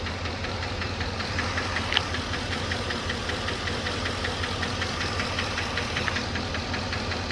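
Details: 2007 Chevrolet Trailblazer LT V8, 119,000 miles, idling after motor flush: fast light ticking, about two or three a second over smooth rumble; collapsed lifter persists, DOD eliminator lifter and cam kit planned.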